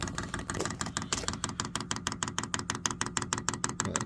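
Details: Vevor 8 kW diesel heater (newer model), first-time priming countdown, longer added fuel hose so priming takes longer: sharp, even dosing pump ticks about 1.5 per second with nothing else running; normal priming.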